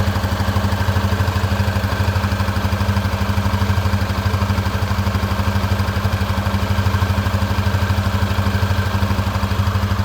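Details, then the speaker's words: Honda CB300F Twister single-cylinder at idle: a quick, even metallic rattle like a loose part shaking, on every firing pulse. It is a new noise, louder when hot after riding and fainter but still audible once cooled. Cause unknown. "Parece que tem algum ferro, alguma coisa batendo. Tem um barulho tipo um chucalho."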